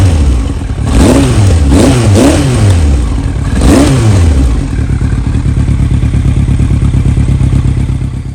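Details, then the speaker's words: Yamaha R1 with carburettors, partly warmed up (about 131°): revs blip up in short uneven surges and stumble back instead of revving cleanly; dirty carbs are suspected to be causing the throttle hesitation. "A little gas ain't too bad, but so the carbs are definitely dirty, as you can hear."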